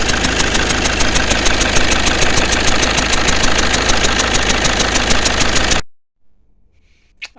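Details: 2009 Mercedes C220 CDI after helicoil repair of the No. 2 injector's stripped bolt: loud diesel idle with rapid, fairly even chuffing about 200 a minute; compression escaping past No. 1 and No. 3 injector seats, which still need thread repair.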